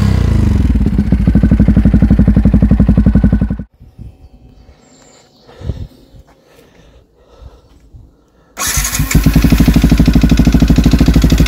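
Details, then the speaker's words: Yamaha WR 125 single-cylinder at idle: hard, uneven thumping knock about three beats a second persisting after valve adjustment (exhaust 0.20 mm, intake 0.10 mm) and oil change; crankshaft bearings suspected worn. "klepać jak klepał tak sklepie ani regulacja zaworów ani wymiana oleju nic niestety nie pomogło tu na wale nie ma panewek tylko są niestety łożyska i prawdopodobnie są już wywalone"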